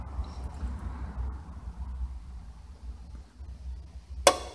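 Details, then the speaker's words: Automatic washing machine that fills and drains without washing: low quiet rumble, then one sharp click near the end as the pressure switch drops out, air escaping through a leaking pressure-switch diaphragm. Leaking pressure switch diaphragm. "Ghabh e ceum mu thràth. a tha a 'ciallachadh gu bheil an èadhar a' teicheadh."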